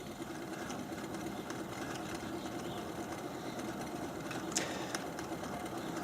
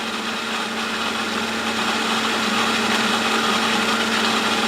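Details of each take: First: Replacement pump on test stand at low speed 450 after running a while, earlier around 20 psi with 9 in vacuum: quiet steady hum with faint scraping rub and slight pulsing, quieter than before; impeller rubbing on diffuser, pump to be disassembled. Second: Replacement pump on a test stand after the previous unit vibrated and rubbed, running at 2550: steady even hum with fine high whir, no knock or rattle; running smoothly, sounds normal.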